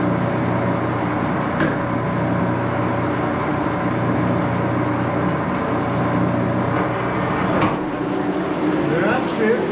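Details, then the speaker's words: 14x30" Axelson heavy-duty geared-head lathe run through its speeds, headstock filled with AW68 hydraulic oil (about SAE 20); steady, even gear whine over a low hum, no knocks or grinding, a bit loud but normal. "we'll go through the gears here see what that's going to be like it is a little bit of a noisy machine"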